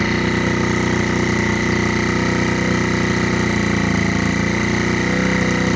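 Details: Rebuilt GY6 50cc 4-stroke Sprint Max scooter, first run after rebuild: first kick-started, then started again on the electric starter. Busy, steady idle with a faint uneven patter underneath, running on its own.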